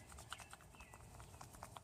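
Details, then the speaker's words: 1999 Toyota Corolla with over 200,000 miles: rattling and clunking over small bumps persisted after new struts. The front sway bar link's worn ball joint, with a split dust boot, gives sharp irregular clacks when rocked by hand. Replacing the links fixed it. "the ball and socket making noise. So after doing a suspension job, if you still hear a lot of rattling noise, it could be the stabilizer bar link."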